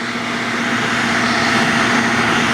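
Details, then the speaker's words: Nearly new roadside-found shop vac, probably brushed motor, hose attached, lowest speed via a Hoover voltage regulator: smooth, steady mid-pitched motor hum, almost as loud as an upright, no squeak or rattle; normal motor run at low speed. "so here's this on the lowest speed I mean you can hear it it is almost as loud as a regular upright"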